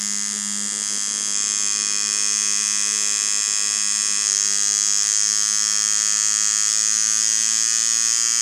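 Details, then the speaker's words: Dan Kubin Sidewinder V3R tattoo machine after an inconsistency fix; high, even buzzing with no stutter, now reaching the proper sound at 5.8 instead of needing nearly 7; normal tattoo machine operation. "I think it sounds now like how I remember it should sound."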